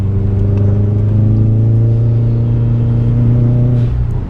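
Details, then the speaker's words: Subaru WRX turbo after busted radiator hose replaced, temps 185, climbing a hill under load: steady strong even engine drone with blow-off noise, no knocks or rattles; healthy. "that sounds good. I love the blow off. Love the extra noise. Just love it."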